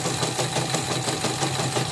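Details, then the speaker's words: Portable CNY embroidery machine after disassembly and polishing, new shoe fitted: fast steady mechanical chatter with gritty uneven rattle each turn; rotary hook assembly runs rough, possibly from earlier forced jam, unconfirmed. "Tapi ini sudah dites, sudah mulai ini, nanti saya cek lagi suaranya kasar. Ini saya pinjam sepatu yang baru, masih kasar juga."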